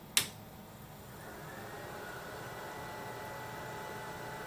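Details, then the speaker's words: Cyclades TS2000 terminal server (32 serial ports, built March 6, 2007) at power-up: a click, then a faint fan whir spins up to a steady soft hum with a single LED lit; normal power-up. "on power up we hear the fan and just get a single LED indication"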